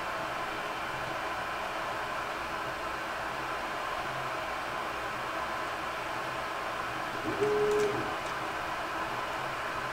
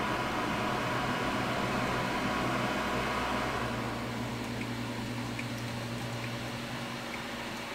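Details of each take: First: Creality Ender 3 printing after a mainboard swap to BTT SKR Mini E3 v1.2 and Noctua 40 mm hotend and mainboard fans, stock power-supply fan still fitted: only soft fan hiss and a brief quiet stepper tone on a rapid move, normal quiet operation. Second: Creality Ender 3 3D printer after SKR Mini E3 v1.2 mainboard install and Noctua 40 mm hotend and board fans: steady whooshing hum from the still-stock power supply fan, fading as it spins down; loud power supply cooling fan awaiting a quieter replacement.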